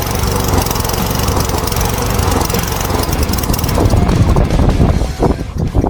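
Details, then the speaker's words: Toro Commercial mower 22155 with Honda GSV190 engine, after servicing: smooth, quiet, even drone with steady beat fading out at shutdown; runs healthy. "These Honda engines are fantastic. Super quiet, super reliable. Good for another, who knows how many more years."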